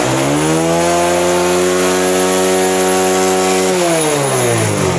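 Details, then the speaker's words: Honda CD70 after installing a new carburetor and setting it: single revs cleanly up and settles back, pitch rising and falling smoothly with no stumble or misfire; healthy revving, carburetion set right. "इसमें एक percent कहते हैं ना कि वो भी missing नहीं है एक तरफा साउंड है और अच्छी साउंड में और अच्छी सेटिंग में मोटर बाइक पहुंच गई है"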